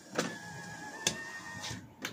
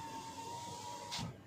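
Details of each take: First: 2023 Toyota Avanza G 1.5 automatic, driver's side power window: sharp clicks about once a second over steady motor whine while glass goes up or down; loose window regulator rail bolts. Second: 2023 Toyota Avanza G 1.5 automatic, left passenger power window: short, quiet motor hum while the glass travels, ending in a soft stop with no clicks; this regulator is smooth and fine.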